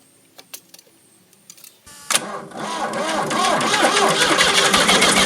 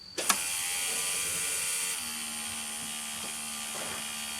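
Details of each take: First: Ford New Holland LX 865 skid steer, about 65 hp turbocharged three-cylinder diesel: starter cranks steadily at about four compressions a second but the engine never fires, won't rev or keep running; contaminated fuel fouled the injection pump, which goes for rebuild. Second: Ford New Holland LX865 skid steer, turbocharged three-cylinder diesel with contaminated fuel problem, key on after filter cleaning: click then steady smooth high whine and low hum as the electric lift pump fills the inline filter; normal lift pump running.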